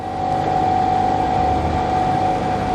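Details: MK1 CL "George" after a pipe was refitted and the fuel pump pressurized the system with no leaks: the engine catches and settles into a steady, even run with no stumbling, coughing or hunting. It starts and runs cleanly.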